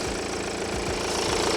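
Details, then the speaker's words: BMW 1 Series diesel restarted after running out of fuel, engine light still on: a steady, even idle clatter with no misfire or hunting; it was lumpy at first but is now running smoothly. "But that seems to be going all right now."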